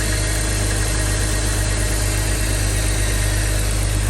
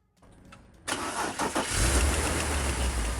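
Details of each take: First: 2005 BMW X3 (M54) after replacing the serpentine belt tensioner, serpentine belt and AC belt: smooth, even idle with a steady low hum and no squeal, chirp or rattle from the belt drive; engine bay noise fixed, normal idle. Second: 2005 BMW X3 (M54 engine), air cleaner and shroud removed for access: after the starter whirs and the engine catches, an uneven tapping knock about three per second rides over the idle as the worn serpentine belt tensioner wobbles and grinds.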